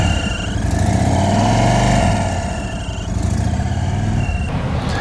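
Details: Brand-new 2023 Indian Sport Chief, 116 V-twin, 222 miles, idling: loping thump with a thin, steady high-pitched whine, traced to an intake air leak.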